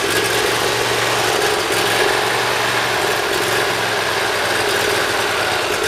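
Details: Briggs Intek V-twin mower engine, cold start on full choke after valve lash adjustment and an oil change, no starting fluid: steady, even drone with no surging or hunting, a smooth healthy run. Previously hard-starting and surging.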